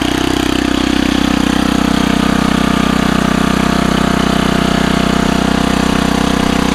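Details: Old rototiller after a new spark plug (old plug looked wet): small single-cylinder runs with a crisp, evenly spaced beat at steady speed, no misses or surging; runs well.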